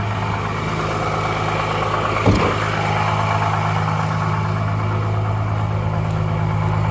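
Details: 12-valve Cummins diesel just started after nine years sitting: steady idle clatter, one brief throttle blip, settles back smoothly; runs good, injection pump seems a little sticky, maybe sticking inside.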